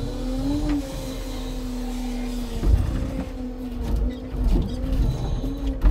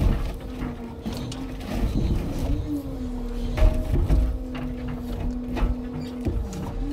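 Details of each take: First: Timber truck loading birch logs with a new smooth, fast Loglift/Jonsered-type crane: steady high squeal over the hydraulic hum, rising briefly as the crane moves; source unknown. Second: Scania timber truck's new log-loading crane loading birch logs: low, wavering snore-like groan rising and falling as the boom moves; normal hydraulic damping system noise.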